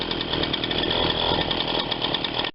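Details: Ryobi 20-inch 40cc two-stroke chainsaw, previously non-running, after repair and tune-up, warming up; steady low idle without surging or sputtering, chain not moving, idle perhaps slightly low; normal idle.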